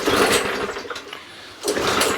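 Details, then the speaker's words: Non-running Mountfield 414/416 mower from the tip, pull-started on carb spray with dead man's handle off: a second of ragged popping, dies, sputters again without settling; owner plans a carburettor clean. "it's not quite firing right what i'm going to do i'm going to do a carburetor clean on this"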